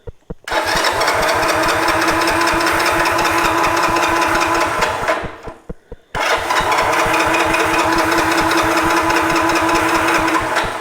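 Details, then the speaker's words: 1986 Honda TRX125 FourTrax ATV, key on, starter button, fuel on reserve and reaching the carb: two long spells of quick, even starter churning, about four beats a second, with no catch or firing; dirty carburetor blocking fuel. "You figure we would have hit by now with that."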